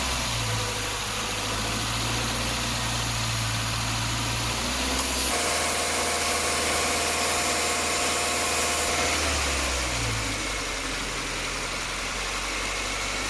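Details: Subaru, after repair of a noisy AC compressor and uneven left/right cooling caused by a leaking evaporator losing compressor oil: even idle with only a soft steady compressor hum, no rattle or grinding; compressor now quiet.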